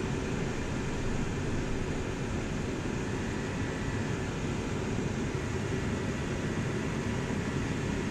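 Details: Dyna-Glo Workhorse 65,000 BTU forced-air torpedo heater: steady, even low roar with no sputter; no smoke at thermostat shutoff, burning clean, normal running.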